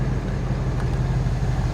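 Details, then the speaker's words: 1964 Chevrolet Impala SS convertible, engine idling: a steady low rumble with an even beat and no knocks or ticks, normal idle; the owner notes a valve clicking on startup after long sitting that always clears. "And here I left the car running just so you can hear how it sounds."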